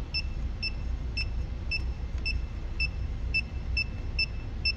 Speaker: uh-oh it's getting faster so it's almost 75